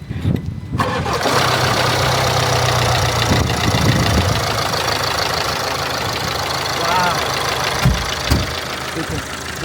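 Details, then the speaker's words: Land Rover 2.0 Ingenium diesel, first start after timing chain and tensioner replacement that needed gearbox and subframe removal. It cranks, catches quickly and settles into a smooth, even idle with no chain rattle: healthy, much better than before. "That is fire, isn't it? That's much better. Much much better. I'm pleased with that."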